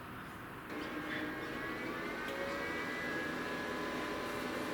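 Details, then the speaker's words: EcoFlow River 2 portable power station charging from a 12 V car socket after disconnecting 240 V: soft steady fan whine rises in pitch and holds; cooling fan runs harder than on 240 V input. "you can hear that fan this is plugged into the 12 volt socket fan now is going harder than it was when it was plugged into 240."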